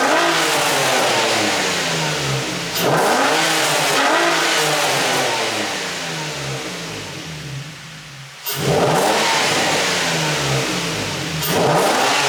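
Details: Infiniti G35 drift car, first start-up of its new low-mileage engine with high-flow cats and a Godspeed exhaust; no leaks or issues noted. Loud, deep exhaust blips climb sharply and drop back cleanly, no misses. Normal start and revving.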